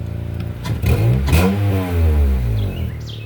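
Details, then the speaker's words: Honda Accord 7th gen, 178,000 miles, warmed up, check engine light for cat and knock sensor: quick rev with raspy, puffing exhaust note swelling with engine speed; large exhaust leak on the driver side. "So they got an exhaust a hell of an exhaust leak somewhere on this driver side."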